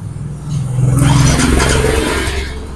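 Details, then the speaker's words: Yamaha Mio i 125 scooter with stock exhaust, after adjusting the pulser that was striking the magneto; valve clearance and timing chain OK: engine blips up and settles back smoothly, the internal knock gone. "yon tahimik na siya ulit wala na yung Katok"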